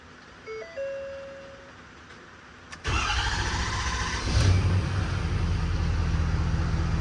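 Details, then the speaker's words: Ford 6.7 Powerstroke diesel, first start in the shop after converting CP4 to a DCR pump with a full new fuel system, injectors programmed, low on fuel: short crank, then a smooth, even rumble with no misfire, with slight air-through-filter sound. Normal start. "crank right up sounds good and smooth sound like almost like a little bit of air getting pushed through the filter of course it doesn't have a lot of fuel in it"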